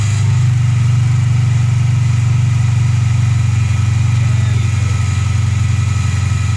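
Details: VW Polo Playa first start after replacing the snapped distributor plug wiring loom that caused a no-spark no-start: steady low idle, about four firing beats a second, even and unchanging; healthy normal idle.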